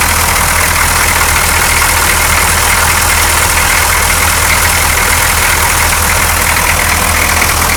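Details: 6.2L diesel truck, the morning after a clear fuel line was fitted from the fuel filter to the injection pump: the line was empty but it started right up and gives a loud, steady, even idle clatter with no stumbles, hunting or dying.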